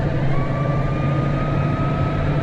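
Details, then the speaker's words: Diesel vehicle out collecting muck: steady mid-pitched whine over a heavy rumble, rising slightly in pitch with speed; the top two gears whine badly in every one of the four ranges. "it's top two gear in in any range it's the same two gears and they are horrendous well they are getting worse aren't they"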